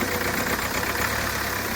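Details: Hyundai Creta diesel, idling after its engine timing was reset; it had earlier developed a knocking rattle, white smoke and starting trouble following engine work elsewhere. Even diesel clatter at a steady idle with no knocking, misfire or wandering speed; normal idle.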